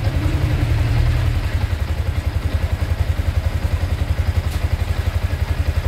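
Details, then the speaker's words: Yamaha Sniper 155 VVA after an oil change and spark plug replacement: even, strong putter settling from a brief rev into a steady beat around 220 a minute, no knocks or rattles; engine running normally. "So ito yung titisting natin mga paps. I-start natin, pandarin natin. So ayun, okay."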